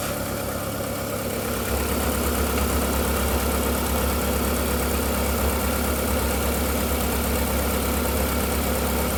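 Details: VW Golf 4 1.6L 16v 105hp petrol idling after a start-up whistle faded within 2–3 minutes: light, regular clack about three times a second, which the owner suspects comes from the timing side; cause undetermined.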